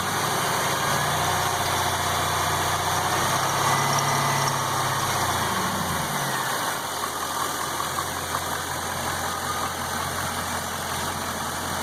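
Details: LS1 V8 Camaro with 170,000 miles idling with a low, fairly regular knock under three beats a second; cause suspected, not confirmed.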